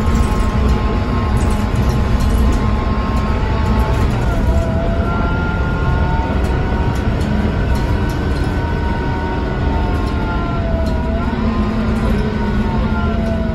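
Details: KMB Scania K230UB bus (2009, DC9-16-230 diesel, ZF 6HP504C gearbox), recorded on board on route 10: steady diesel drone with odd whining tones near 1 kHz sweeping with speed; weird engine sound, source unclear.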